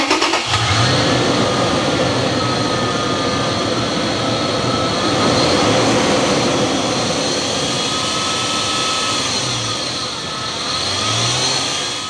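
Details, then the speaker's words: 2005 Toyota 4Runner, owner concern of noise from the front of the engine: steady thin whine riding over the idle, holding pitch, sounding like a worn idler pulley bearing on the belt drive. "the owner concern is a noise from the front of the engine we're going to look at this noise we're gonna actually fix it in this video so you can see beginning to end here's how that noise sounds like"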